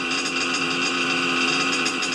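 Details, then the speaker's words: RC nitro engine, warmer day so running better, tuned for single-stage idle: steady high-pitched buzz, even pitch, light regular pulse, no stumbling; holding a really good clean idle. "it's a lot warmer days it's going to run a little bit better holding a really good Idol"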